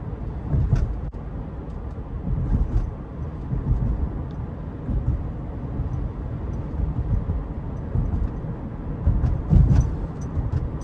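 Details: 2018 Subaru Forester Limited, 170-hp 2.5L 4-cylinder, in-cabin at cruise: steady low road rumble and soft tyre noise, no squeaks, ticks or trim rattles; tight, quiet cabin.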